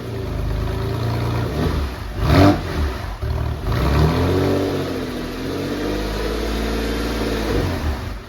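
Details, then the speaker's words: Porsche 911 (996) flat-six after a multi-year restoration, just after reconnecting the unplugged throttle body connector: clean blips rising and falling smoothly, then an even healthy idle; fault fixed. "So it turns out I hadn't connected the throttle body control, and it was a simple click of the cable and everything was fine."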